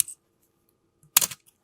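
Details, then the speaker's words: Canon A-1 fired at 1/1000 s: quick shutter snap with slight hoarse cough/squeal as the mirror cycles, from dry mirror box gears needing lubrication. "Oh, the highest shutter speed is the best to test it. So it's 1,000th of a second in this case, because the faster those gears work, the more you're gonna hear the squeal."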